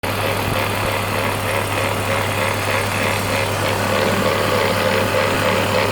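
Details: BMW E46 330Ci, M54 engine, at idle: steady idle with low hum and faint gritty grinding throughout; grinding noise from engine.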